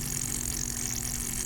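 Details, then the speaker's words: Land Rover Freelander failed 1500 miles into a cross-country trip with a major coolant leak; cooling system pressure-tested at 5 psi gives a steady high-pitched hiss with coolant bubbling at the water outlet housing rim, replaced about 2,000 miles before failing. "And I can already see where we're leaking. We're at 5 psi in the system. I can already hear it hissing."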